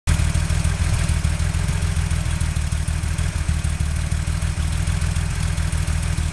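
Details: Porsche 911 with a deep idle rumble stumbling with uneven pulses and brief drop-outs; engine misfire.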